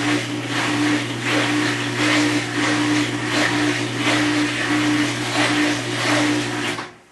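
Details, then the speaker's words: Maytag Centennial Commercial Technology washer, about 14 months old and overloaded, spinning after the rinse cycle: loud uneven motor hum, low drone and rhythmic swish-thump about 86 per minute, estimated at 100–110 dB; cause unclear. "I think I lost at least 10% of my hearing over that I'd say the level is 100 decibels maybe 110 when all that noise is going on is deafening"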